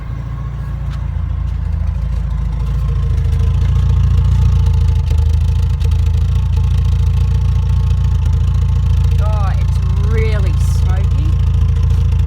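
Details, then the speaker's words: Porsche 944 at idle after return from the mechanic: steady engine rumble with a thin, constant whine riding above it that wasn't there before; source not pinned down, and the idle is also jumping around. "Something's whining in there that didn't whine before."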